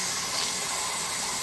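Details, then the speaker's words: T-Fal 22 qt pressure canner canning potatoes, venting built-up steam during 10-minute countdown before going to 10 lb; steady even hiss, no sputter or rattle, described as the noisy one; normal venting. "Yeah, you can see that steam, and you hear the noise. It's the noisy one."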